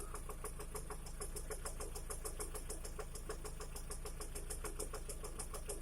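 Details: 2011 Lada Priora, warm idle: after the piston set was changed to a gapless-ring type, a sharp regular ticking about three times a second starts once the engine warms to 60 °C and above; source unclear, lifter (hydraulic compensator) suspected; engine knock.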